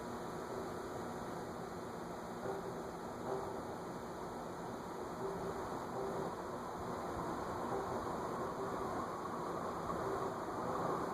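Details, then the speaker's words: Envirofan Gold Line industrial ceiling fan model 160F-7 (c.2013), with blades, on medium-high drawing 0.57 A: steady airy whoosh, faint hum, nothing egregious; reported crackling not heard. "So, cycle hum to it. But nothing egregious."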